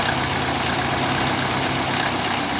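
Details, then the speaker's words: 2000 Toyota Celica GT 1.8L VVT-i at idle with low oil: steady but slightly uneven idle with a light clatter over the hum; valvetrain noise and rough idle from low oil affecting the VVT solenoid and cam phaser, P1315 and P0300 set; cured by adding oil. "the customer's complaint it was that that was she was telling me that she was hearing like like dow train noises under the hood as you can see at the moment you know they're not really that loud"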